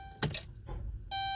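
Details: Dodge Grand Caravan that only starts sometimes: key turned gives one sharp click then a chime, no cranking at all; power reaches the starter but it won't engage and crank, pointing to a bad starter motor.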